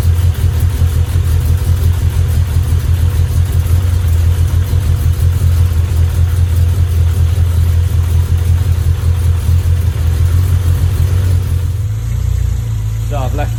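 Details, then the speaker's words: Honda B18 "race" engine from eBay, first run before mapping, fuel pressure about 50 psi: deep even idle, smooth steady beat, no knocks or misses; no smoke or leaks, healthy. "5 or 10 minutes. It is now ticking over quite nicely."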